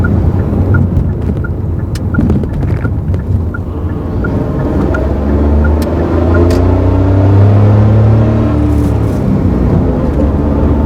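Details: Mazda AZ-Wagon MJ23S while driving: a tone rises over the engine and climbs with road speed, with fast regular ticking early on. Abnormal transmission noise.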